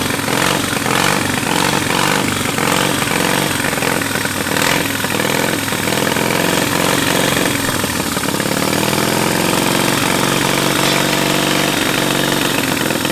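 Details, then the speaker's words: 700cc twin-cylinder military standard engine: loud rapid even firing at steady throttle, no misses, knocks or stumbles, no smoke; normal running. "Yeah, man. Sounds good. >> Sounds real good. >> Heck yeah."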